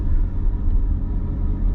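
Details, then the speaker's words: Mercedes C55 M113 V8 that was running very rich, after pulling fuel-fouled spark plugs, intake possibly not sealed at the throttle body: deep idle with slightly uneven loping rumble, no knocks; rough idle, owner suspects the unsealed throttle body. "it is running a little weird right now but that might be because I might it might have come off the throttle body a little bit cuz I didn't seal it up all the way"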